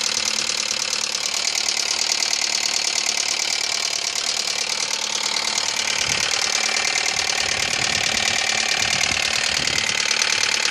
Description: 2000 ford focus knocking ticking try in to find out what can be the fix help